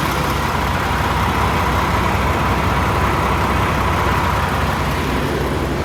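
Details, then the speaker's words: Peterbilt 579 back from the dealership with fresh oil, noticeably smoother than before: steady, deep diesel rumble with no knocks or misses; normal idle. "she just sounds so much smoother put a brand new oil for just a smoother running truck"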